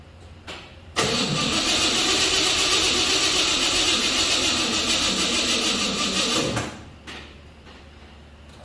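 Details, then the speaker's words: 1955 GMC 100 with freshly rebuilt 327 small-block, first start attempt with carburetor bowls filled, spark confirmed, timing unknown: about five seconds of labouring slow cranking that never catches, blamed on a bad battery; slow cranking, no start. "Busted ass battery."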